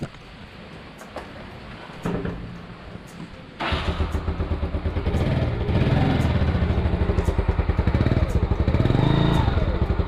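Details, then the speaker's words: Yamaha Mio Sporty single-cylinder scooter after valve cleaning and reassembly, previously backfiring: steady, even low thump at idle after an early throttle blip, with no pops or backfires from the exhaust. "Wala nang backfire, no. Hindi ko kasi na-pernig yung dating tunog nito guys, no, pero ramdam mo talaga nagpa-backfire siya."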